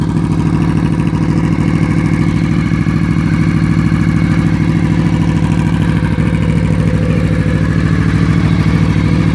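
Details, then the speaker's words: Honda VFR800 Interceptor V4 reverse trike with a '96 Ninja radiator, loud exhaust, just started, recorded on a phone mic; steady, loud, even burble at idle with no misses, ticks or speed wander; normal idle. "All right, I'll start it up for you just so you can hear it, although the microphone on this phone might not be great. I love that sound."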